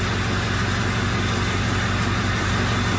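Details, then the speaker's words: 2005 Ford F-350 6.0 diesel idling with a misfire: uneven lumpy loping beat that changes completely when the number four injector is disabled; weak cylinder four, with seven also suspect, injectors blamed. "so that's interesting when i kill number four injector it sounds completely different"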